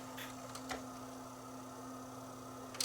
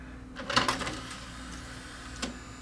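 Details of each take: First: Panasonic DMR-E20 DVD-RAM/DVD-R recorder drive with stepper-motor laser sled: over a steady low hum, faint ticks and short buzzy bursts as the sled moves back and forth between record and playback; normal seeking. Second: Panasonic DMR-E20 DVD-RAM/DVD-R recorder, about 20 years old, powered on showing no disc: short burst of whirring and clicks then a faint tick from the tray drive; disc tray loading belt slipping, to be replaced; micro switch also possible.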